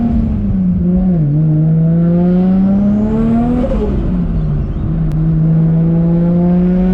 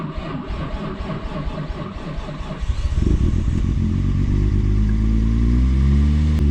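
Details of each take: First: Forged RB25DET R33 Skyline (about 550hp) on a test drive after its hydraulic lifters were cleaned and re-bled: revs climb and drop smoothly through gear changes with no valvetrain tick. The previous lifter tick is gone; normal running. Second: Built 550HP R33 Skyline RB25DET cold start after cleaning and bleeding the hydraulic lifters: about three seconds of cranking, then a rough idle with bad lifter ticking, expected to settle; ticking was gone after a test drive.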